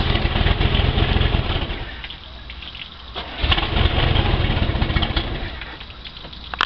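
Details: Boat engine that was filled and run on diesel instead of gasoline, after flushing the complete fuel system, started, shut off and restarted: catches and settles into a steady, even low rumble with no misfire or stumble; running well.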